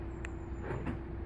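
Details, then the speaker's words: Land Rover Discovery 3 TDV6, bought used in 2006: key fob lock/deadlock then unlock pressed once and twice to open the whole car; three short crisp clicks over a quiet background, door lock actuators operating normally. "Deadlock it. Indicators are flashing. And then we have the unlock button. Press once, press twice, opens the whole car."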